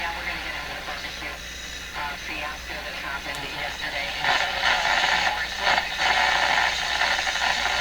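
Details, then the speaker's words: Minerva W119 six-tube broadcast-band radio at checkout before repair, tuned to a station: voice and music come through with a harsh, gritty, crackly distortion; cause unclear. "here so it sounds terribly distorted to"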